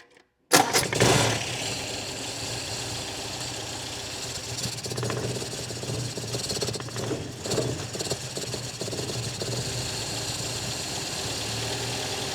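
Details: 1964 MGB sitting nearly two years, after cleaning sticking double-ball float needle valves as the fuel pump moves more fuel: cranks briefly, catches at once, settles to steady even idle with no misses; now running.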